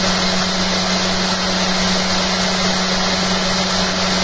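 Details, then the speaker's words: Home-built eccentric bobbin and magnet holder rig with soft starter, after fitting new holder and curing rattles: steady low hum with light even brush hiss from motor commutator, no knocking; now much quieter. "I tell you what, it's so bloody quiet I can hear the motor now. I couldn't hear the motor before. I can hear the commutator on that as the motor's driving it."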